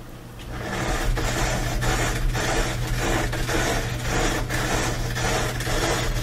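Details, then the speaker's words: Noisy Bosch dryer, drum turning: rough metallic scrape pulsing about twice a second, once per revolution; something found caught between the tumbler and the front bearing. "today we're dealing with a Bosch dryer that's making a lot of noise"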